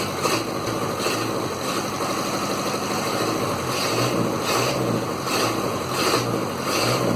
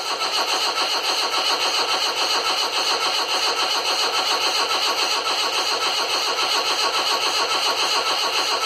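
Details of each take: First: Land Rover Series 2a 88 2.25 diesel, first run after setup: steady, even clatter at idle with soft regular pulse, no stumble or knock; idling well despite blue puffing smoke, owner suspects an injector or piston rings. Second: Land Rover Series 2a 88 with 2.25 diesel, first start after fuel and electrics setup: steady rapid cranking churn just under two beats a second, no catch into running; turns over but won't fire.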